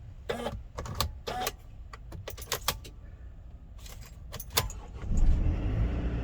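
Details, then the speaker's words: Mercedes Sprinter after replacing the relays and the electronic steering lock (ESL). A key jingle and clicks, then the steering lock releases and the engine cranks and catches instantly into a steady idle. Normal start with no fault codes. "starts up instantly perfectly this time and there's no fall codes or anything of that sort anymore"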